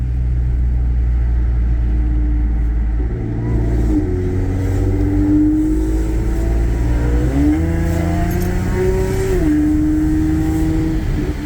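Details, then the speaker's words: Audi A6 3.0T with test pipes and two stock resonators, after installing a Gibson 55106S muffler to kill rasp: accelerating, clean climbing note, deeper and throatier, rasp gone. "I don't know if you can hear that but it has more of a deep throaty sound now yeah so it looks like it took care of the rice I can hear that already oh yeah this this Gibson is a wrath killer y'all"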